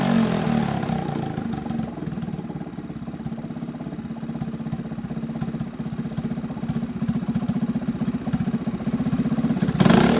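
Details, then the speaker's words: Honda CT70 HK0 single-cylinder, a revived previously stuck engine, after carburetor cleaning and opening the barely-opening points. It holds a steady, even idle with light blips and no misses or knocks, running pretty good. "So I adjusted the points a little bit, opened them up, and she's running pretty good."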